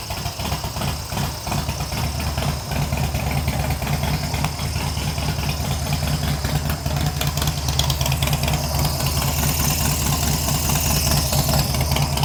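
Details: Harley-Davidson Sportster build, first start after fitting new short cables, choke on, throttle adjusted to idle: loping uneven V-twin idle, steady, no grinding or loud knocks; normal idle.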